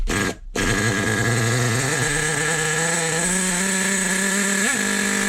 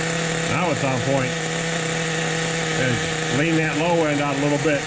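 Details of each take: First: 2002 Team Associated NTC3 nitro RC touring car, first start after full rebuild: high steady buzzing run with a couple of quick throttle blips, then cut; runs cleanly. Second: 2002 Team Associated NTC3 nitro RC car after rebuild: steady high buzzing idle holding constant while settling, low-end needle being leaned from rich; runs fine.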